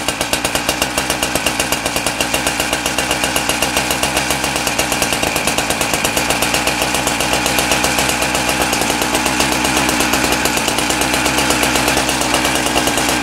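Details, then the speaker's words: Husqvarna K970 cut-off saw two-stroke engine after rebuild: crisp rapid steady firing, no misses; engine running well, though clutch drum bearing is worn and due for replacement. "so we got the engine going good now the engine really good"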